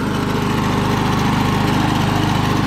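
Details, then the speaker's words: Early-1980s Snapper self-propelled mower, 6-speed, in gear three: small single-cylinder buzzing steadily at constant speed with the drive pulling, no misses or rattles; runs like new. "gear number three baby yourself right here it works like a brand new lawnmower"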